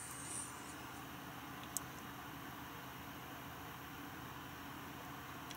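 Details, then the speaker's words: NVIDIA GTX 980 reference graphics card fan in a Dell XPS 8700, measured inside the case at around 50 dB while working the card: soft steady airflow hiss, no ticking, rattle or grinding, running normally. "This is like how loud the fan really is when I am working the card. Now remember, it normally isn't even at this high."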